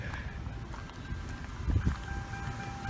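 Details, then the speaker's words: Grand Marquis with the Ford 4.6 V8 idling after an intake coolant leak that caused a cylinder 4 misfire was sealed with super glue: low, even idle rumble with no stumbles, no check engine light, running smooth. Normal idle after the repair. "so far, no check engine light. That thing is running real smooth."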